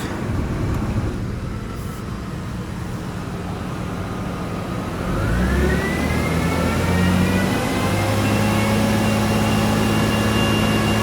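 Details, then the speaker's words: 2001 Lexus ES 300 Coach Edition project car at idle: steady high whine over the idle, stepping up in pitch; owner suspects an accessory, likely the alternator, not the engine. Unconfirmed. "yeah I don't think that's the engine I think that's an accessory I'm thinking the alternator"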